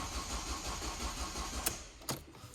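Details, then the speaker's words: Ford Focus after cam cover refit, injectors unplugged to prime oil system: starter spins engine over in steady rhythm with no firing, as intended; oil light now off, ready to reconnect injectors. "right okay guys so we are all back together uh apart from the injectors that i've unplugged here because i'm trying to get a little bit of oil up to the system"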